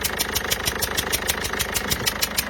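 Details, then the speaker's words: Peugeot 207 HDi diesel at idle, cylinder 1 injector seal failing, customer reports no-start episodes: loud, sharp ticking about six times a second over idle; injector seals leaking compression, to be replaced. "mais là on est quand même sur quelque chose d'assez poussé en termes de joints d'injecteur. Le bruit est assez énorme"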